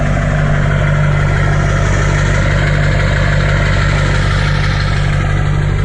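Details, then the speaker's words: 2004 Chevy Silverado 2500 LB7 Duramax diesel with K&N cold air intake and 4-inch straight pipe exhaust, heard at the tailpipe: deep, steady diesel rumble with an even low pulse, no knocks or misses; normal healthy diesel idle. "very nice sounding truck lots of Power with the diesel engine"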